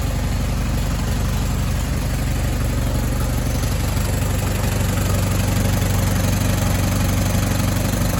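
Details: Allis Chalmers WD tractor starting after a full rebuild and final assembly, with manifold stud leaks just fixed: low, even thump of about three firing beats per second, steady throughout with no tapping or exhaust puffing; a healthy, evenly running idle.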